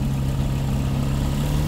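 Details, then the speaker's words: WW1 replica airplane engine started after years sitting in a shed; remarkably quiet, low, even drone with a steady beat, sounding like a two-stroke from the other side, no stumbles or knocks: normal idle. "dude it's really quiet I'm just impressed with how quiet it is like I'm telling you and I'm not even like talking loud that's crazy"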